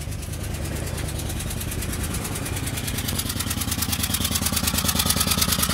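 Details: Citroën C2 1.1 petrol with vibrations, loud engine noise and lack of power: a loud, rapid, regular puffing tick over a shaky idle as compression escapes where a spark plug has blown out of the cylinder head.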